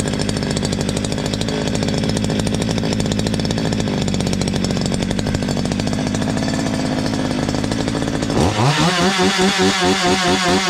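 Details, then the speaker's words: Stihl MS 230 chainsaw, hot, with good compression and a free piston: revs hard then drops to a lumpy idle, with a faint loose rattle near the exhaust; exhaust nuts tight, cause not yet found. "essa máquina só escutei uma zoada aqui na frente do escapamento dela aqui ó como tivesse alguma pecinha solta"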